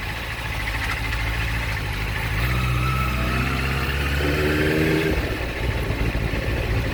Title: Gsxr 600 grinding noise